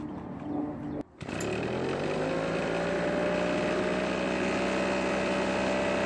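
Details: Husqvarna backpack blower stored for many years that would not start because its old tank gas held water; refilled with fresh gas, the two-stroke fires after a pause, climbs and settles into a clean, steady high buzz without surging: normal running.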